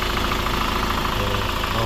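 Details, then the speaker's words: Hyundai Grand Starex diesel, complaint of higher fuel consumption and sluggish running, start-up check before cleaning a carboned EGR valve and intake manifold: steady idle with an even low clatter and no odd knocks or whine; quiet, no fault. "Okay naman, tahimik naman. Tapos syempre wala naman tayong fault mga idol."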